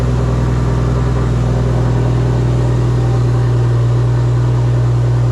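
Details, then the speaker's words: Car at idle: a loud, even idle with a deep drone and no knocks or misses. It sounds good but less throaty than hoped, possibly because of the silencers. "it sounds good sounds really good I had hoped it was a little bit more throaty in the sound a little bit more chubby"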